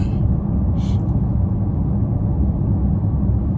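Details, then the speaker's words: 2014 Chevrolet Impala at 65 mph on the highway after new tires were fitted: smooth low road rumble with no thumping or droning; the earlier noise is gone and the tires are better. "Okay, we're doing 65 right now. And I'm already not hearing it. I would have been heard it, so I can already see like the tires are better."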